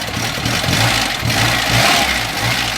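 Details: VAZ 2101–2107 engine running and revving after the slack timing chain was re-tensioned with a rebuilt tensioner: smooth, even beat with no chain rattle or slap over the exhaust; sounds healthy.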